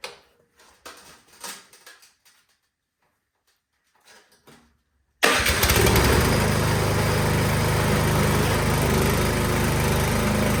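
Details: Craftsman snowblower after troubleshooting a no-start and reassembly; after a quiet pause it fires at once and settles into a steady, even chug with no stumbling; normal running.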